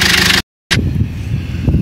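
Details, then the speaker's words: Chinese-built Cummins diesel in a GAZelle at idle: a sharp knock through the diesel clatter, worsening daily for two weeks, not cured by new injectors, oil light off; the knock disappears when cylinder 3's injector is disconnected. "вот этот пропадает если мы отсоединяем Выключаем третью форсунку стук пропадает"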